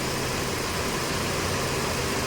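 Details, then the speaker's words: Mercedes-Benz W204/W212 four-cylinder with poor pickup, running on three cylinders: an uneven, shaky idle with a stumbling beat, the engine visibly shaking. "तो आप देख सकते हैं अपना गाड़ी start हो और जो इंजन है ना वो कांप रहा है हिल रहा"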